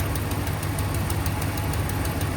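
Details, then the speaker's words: 2016 Ram 1500 5.7 Hemi V8, cold idle after sitting overnight: fast light ticking over the rumble at the suspected passenger-side exhaust manifold; quiets once warm, possibly aftermarket manifold; manifold gasket leak, a bottom bolt's head threads later found stripped. "it does quiet up once the engine gets warm. So it might be due to aftermarket headers or manifolds or something like that. But it's definitely got a manifold leak coming in right here."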